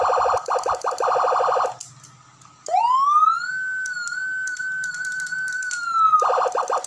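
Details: Senken 40 W electronic siren after repair of broken mic PCB track, power track and scorched board section, fitted with mic switch; sounds cleanly, switching between fast warbling yelp and long steady wail: normal siren operation.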